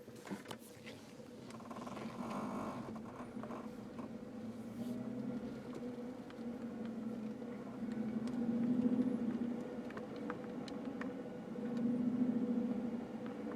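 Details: Steady low droning buzz under 2010 Jeep Wrangler JK vehicle noise, swelling louder twice; strange vibration noise, cause unknown.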